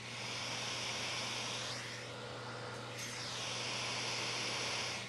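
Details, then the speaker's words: Creality Ender 2 Pro 3D printer sitting idle: steady high airy whir with no rhythm, the cooling fans running constantly and too loud even after being quietened somewhat. "starting with the noise these fans are way too loud I don't know if I'm the only one that cares about this but having a printer that's just like kind of screaming a little bit is just kind of annoying and it makes me want to turn the printer off"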